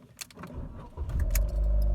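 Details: Jeep Renegade, first start of the day above 14°C, cold-start reservoir fuel replaced the day before: a few clicks and a brief crank, then the engine catches and settles into a steady low idle; intermittent no-start fault.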